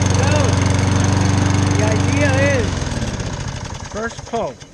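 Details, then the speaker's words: Lawn mower that had grown hard to start, running after carburetor cleaner was used: steady fast putter of a small single at about four beats a second, even and unbroken before winding down; running normally. "this thing runs terrific and it's a great mower"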